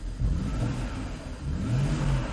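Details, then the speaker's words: 2010 BMW 535i xDrive E61 wagon, auction car with mechanical loss, after reseating and swapping ignition coils and erasing codes: uneven, lumpy running with irregular surges; runs better but still rough, no fault codes; rough running. "what is going on here it still runs rough but what is going on here some tomfoolery"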